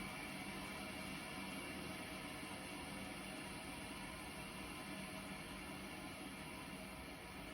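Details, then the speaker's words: Older Worcester combi boiler, white-key filling loop opened to repressurise: quiet, steady hiss with no rattle or surge as mains water flows in and the gauge needle rises toward one bar; normal filling. "So, we're going to open that up. When we do, that pressure is going to start to rise. You hear it hissing. Needles moving up."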